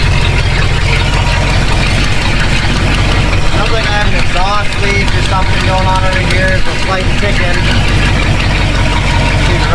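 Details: 1967 Ford F250 V8 just fitted with a new Edelbrock Performer intake and Holley Truck Avenger carb, straight pipe exhaust: a loud, lumpy idle with a faint quick tick on the firing beat, possibly a small exhaust leak.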